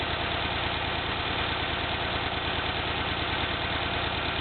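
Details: 1991 Honda Accord with a rough idle that began about a day after a fill-up: uneven, shaky idle with a loping pulse about three times a second and a faint knock; owner suspects ignition, bad gas, or both.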